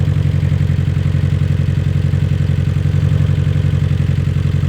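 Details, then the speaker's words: Abarth 500/595/695 petrol engine idling during a cylinder drop test, cylinder one unplugged: lumpy, uneven beat, tone changes, so cylinder one fires fine; the misfire was traced to cylinder three. "So, first off, we'll go to cylinder one. Straight away, you can hear a change in engine tone. So, that one's all good."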